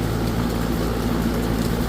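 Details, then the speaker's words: Residential air conditioner outdoor unit, clogged filter noted indoors: only the steady rushing whoosh of the condenser fan, no compressor hum underneath; refrigerant lines felt with no refrigerant moving, compressor not running, suspected low refrigerant. "The compressor it was rotating the refrigerant. We didn't feel any refrigerant. So we know if we don't hear that good compressor sound that you're looking for"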